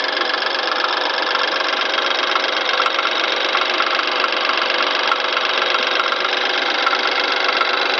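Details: BMW N20 petrol engine, 2013 (63 plate), 6,000 miles: light fast metallic ticking about four per second over idle just after start-up; owner suspects turbo or wastegate flap, not confirmed.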